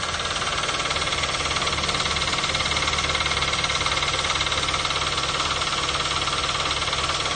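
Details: 2012 Toyota Avanza/Daihatsu Xenia, 1.5 L 3SZ-VE I4 at idle: fast even knock about three per second, persisting with serpentine/fan belt removed, so mechanic says it comes from the engine itself, not accessories; cause unconfirmed.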